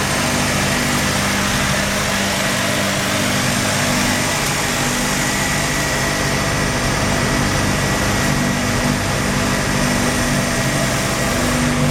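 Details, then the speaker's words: Mazda RX-7 rotary engine idles rough with a buzzy, uneven beat, shaking and misfiring, worse with slight throttle; failed inspection with very high CO (2.70), no oil pressure shown, peculiar noise on first crank. "I noticed that he's misfiring. It has a rug idle, it shakes a bit, and he makes a peculiar noise when I crank it for the first time."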